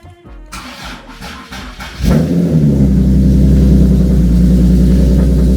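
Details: Nissan 370Z with VQ VHR engine, first start after swapping in a used transmission and installing a ZSpeed CMAK kit: a few seconds of cranking, then the engine catches cleanly and holds a smooth, even idle with a steady low throb.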